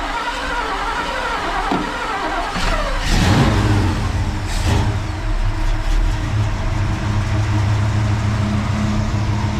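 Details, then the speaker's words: 1969 El Camino SS with motorhome 454 V8 and Muncie 4-speed, first-ever start after assembly and leak fixes: fires with a couple of sharp revs, then drops to a deep steady burble; sounds healthy. "Hey, what do you think? That sounds pretty good."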